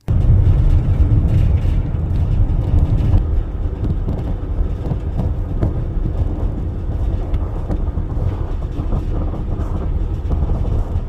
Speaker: Ce pneu se déchirait lentement sans que le conducteur ne s'en aperçoive.